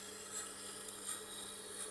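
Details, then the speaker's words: Tormek T8 grinding wheel sharpening a single-bevel Japanese knife at 15° on fine setting: steady steel-on-stone hiss with a rhythmic pulse; wheel suspected unevenly glazed. "right, you can sort of hear it there a bit. It's sort of, that means that it's maybe a little bit glazed in some areas and some not."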